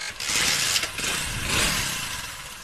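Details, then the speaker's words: Hero HF Deluxe motorcycle after replacing a bolt with a new one, centred and tightened, to cure a noise that persisted despite timing chain and piston work: engine catches cleanly and settles into a steady idle with no knock or rattle; normal idle. "दिखाते देखिए बिल्कुल sound सही हो गया आपको दिखाते"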